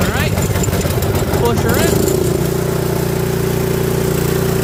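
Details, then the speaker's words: Toro 721R single-stage snowblower, unused for a few years, cold start after four primes with the choke on: a couple of pull-start strokes, then it catches into a steady, even hum with no knocking; runs healthy and quiet. "Running good. Sitting. Let's check paddles. Good. Quiet. Sounds good."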